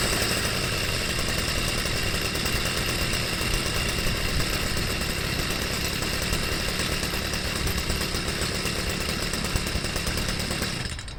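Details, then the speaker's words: Stihl sweeper with MM55 engine fitted with a Hipa C1Q-S97 carburettor, its top piece modified for the air-cleaner tube, starting first pull: small two-stroke holds a steady buzzing run without surging or dying, then cuts off; runs well. "it runs real good starts right up first pull"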